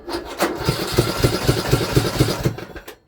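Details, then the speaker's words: Free Craftsman LT2000 riding mower that sat for years, cranked with no fuel: loud, rough chuffing about twice a second, far louder than normal. Owner suspects a broken exhaust or blown head gasket; the oil is overfilled, and the muffler is not the cause. "It honestly just sounds like the exhaust isn't even on. The exhaust pipe sounds broken. Because it shouldn't be that loud when it cranks."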